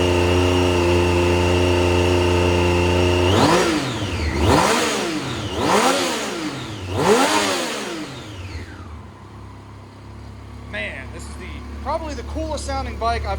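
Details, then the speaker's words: 2010 Triumph Street Triple R 675 with 38,566 miles, being parted out after a minor low-side crash, settles at a steady idle and then gives three quick clean blips that rise and fall smoothly with no knocks or misses; a healthy engine. "bike I've ever owned or parted out. Very, very wicked."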